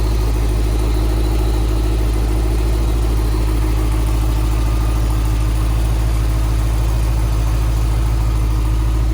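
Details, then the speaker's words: 1990 Corvette ZR-1 with LT-5 engine after starter replacement fixed a no-start, hoses and harnesses reconnected: steady, even idle with a deep smooth rumble, no misses, knocks or ticks; running healthy. "okay it all appears to be working so for now thanks for joining me"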